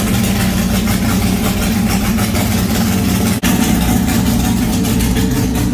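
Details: Superlite car started after a new welded exhaust with an X-pipe, running with no mufflers fitted, out of gear: a loud, raw, lumpy idle with a deep, undamped burble from the open exhaust.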